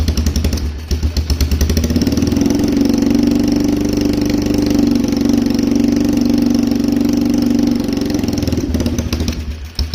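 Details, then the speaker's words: Polaris Trail Boss 330 quad with no airbox, idling on partial choke (it stalls with the choke off): a steady, even single-cylinder idle with a puffing exhaust beat. It runs fine while the choke holds it up. "it should need a little choke cuz it has no airbox so I kind of need to manipulate the choke to be just right if I'm going to get it to idle right"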